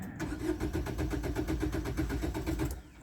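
Starter cranks evenly at about four beats a second for three seconds and never fires; the immobilizer is not accepting the key.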